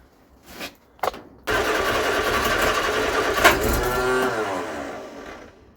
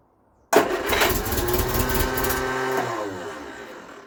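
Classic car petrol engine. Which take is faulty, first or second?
first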